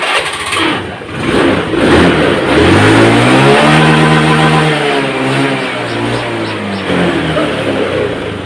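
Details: 2014 Honda Scoopy automatic scooter that lost power at full throttle and top speed, test-started after service: it starts promptly and revs rise and fall smoothly with no stumble or misfire, pulling cleanly through the range. Normal revving.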